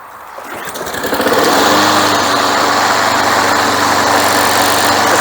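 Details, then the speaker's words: Craftsman Platinum mower after carburetor rebuild, new recoil, drive belt, blade and air filter: pulls over, picks up quickly and settles into a steady, even idle with no misses or surging; runs healthy. "sounds pretty good Okay, I'm pretty happy with that."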